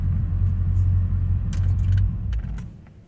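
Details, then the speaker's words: 2006 Chevrolet Corvette C6 Z06, stock, after hot run (oil temp 167, idle oil pressure 28): deep, even whoosh fading as cooling fans spool down after shutdown; normal. "Hear the fans spool down."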